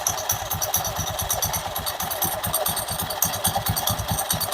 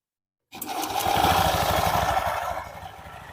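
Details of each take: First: Honda Beat Pop scooter idling with the CVT cover removed; the belt is good apart from small cracks, and the noise is traced to the clutch unit: a dry, uneven metallic clatter of about two raps a second. CVT clutch rattle. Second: Honda Beat Pop scooter after CVT repair for rough clattering noise, double clutch plates adjusted: engine catches and settles into an even, steady putter with no knocking or rattle from the belt drive, running smooth like new.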